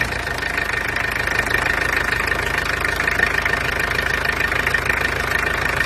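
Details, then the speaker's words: Peugeot 404 LDV, XD2 diesel: steady, even, fast diesel clatter with no misses; quite noisy but runs nicely. "as you can hear it's quite noisy but anyway it goes nicely so i'm satisfied with that"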